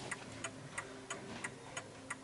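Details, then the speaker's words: 1950s Smiths Enfield striking mechanical mantel clock, which had stopped, now restarted after nudging its balance to the left: crisp, even ticks about three per second with matching tick and tock; clock back in beat. "There you go. Now it's ticking away quite nicely."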